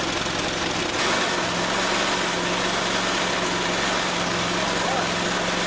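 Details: Honda Harmony lawn mower that would not start, running after fitting a new BPR5ES spark plug and opening the fuel switch: catches and settles into a steady, even low drone; healthy, no misses or knocks.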